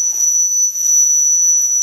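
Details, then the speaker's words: Homemade vacuum tube theremin in cold weather: oscillator seems to work for a few seconds, then a fixed high whistle and steady hiss that tuning can't remove; owner suspects the variable capacitors are too small and fragile. "i think it starts to work as it there and then at that point i get that hissing sound and it doesn't matter how i tune i just can't get rid of that hissing"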